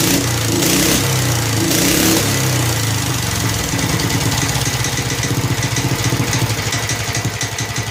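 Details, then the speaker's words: Snapper Hi-Vac commercial mower with Robin/Wisconsin engine, running after carburetor fiddling: steady, even thump at a fair idle, no misses or knocks; motor sounds good when running correctly, though carburetor leaks and needs a kit. "The motor sounds good when it's running correctly."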